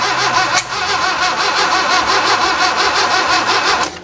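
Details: 1966 Datsun 520 truck abandoned 40 years, after rebuilt plugs, a rejuvenated battery and wires put back: the starter churns in a steady quick rhythm for about three and a half seconds; the engine never catches.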